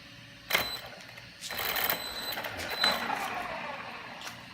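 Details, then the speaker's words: Brand-new VKAR Bison RC car: short bursts of dry crunching and rattling with each light throttle blip, with no steady tone, like gears slipping. Owner unsure whether it is the slipper clutch or the gear mesh. "wondering what's making this sound, this sort of slipping sound. Curious if it's the slipper clutch or if my gear mesh is off."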